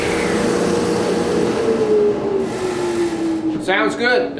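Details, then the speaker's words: New Original Saw model 3512 radial arm saw (old DeWalt design), first cut after installation: steady motor whine sags only slightly as the blade takes the cut, never stalls, dust collection working; normal running under cutting load. "seem to want to bog down at all. Dust collection seems to be working right."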